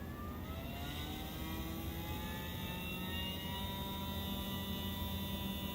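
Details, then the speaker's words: Athearn Genesis MP15 model locomotive rebuilt with Mashima motor and NCE DASR decoder, run clamped on bench at 8–12 volts: steady high whir with faint gear hum, smoother than before; normal motor run. "it should be even louder than it was but actually it sounds smoother"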